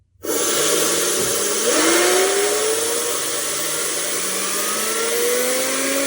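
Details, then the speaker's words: 4.5-inch Tesla turbine driving a 1090 kV generator expected to reach about 25,000 rpm into a 1200 W light load through a 24 V inverter, tank just under 120 psi. Highest power yet; high whine over an air hiss, and owner suspects slight generator or bearing misalignment. "That's the highest power I've ever done on this little 4.5 inch turbine. Yeah, it just sounds great."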